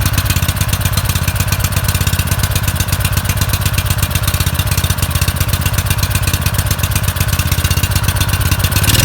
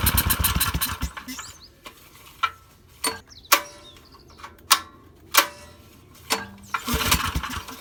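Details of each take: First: Suzuki SV2300H generator that wouldn't start, after spark plug cleaning: fast, even thumping at around four beats a second with a steady low drone; runs smoothly without misses. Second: Suzuki SV2300H generator that won't start: several sharp recoil pulls roughly a second apart, each a brief rasp that dies away; the engine never catches; cause suspected, not confirmed.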